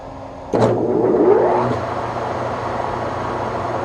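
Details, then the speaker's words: Webb Whachoen lathe on a phase converter, low speed setting about 285 rpm: motor spins up quickly then settles to a steady, smooth hum, no knocks or grinding; normal running before trying 1800 rpm, which trips the converter. "many dads Moyles that sounds pretty good alright so let's try 18 okay so that should be 1800"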